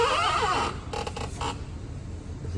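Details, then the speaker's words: 2005–2006 Ford F-150, noise when engine started and put in gear, heard loudest from underneath: brief scraping creak and squeal then rough rubbing bursts over idle; noise from the flex plate, torque converter bolts rubbing on metal. "Apunta que este ruido viene de aquí, de lo que viene siendo el flex plate."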